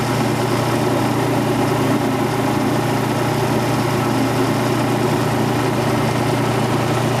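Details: Quincy Model 325 compressor with rebuilt lower end and new starter, pump on the tank. Inspection plate and shims were siliconed against water ingress. Test run at 18-20 psi oil pressure: steady, even low pump drone, no knocks or rattles. Normal running.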